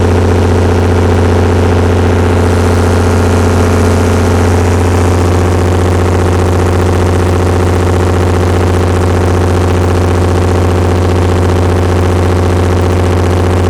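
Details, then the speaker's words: Perkins 354-series six-cylinder diesel, 45 kW Empire generator, after injection pump reinstall: deep even drone sags as about 23 kW load comes on, dropping two hertz; governor droop persists though the engine now runs smooth. "ah that's still that's that's a bad drop yeah i think we're still in debate the same boat with our uh governor issue there you go we dropped two cycles per second with only well not even a 50 load now about 50 23 kilowatt it's a 45 kilowatt unit"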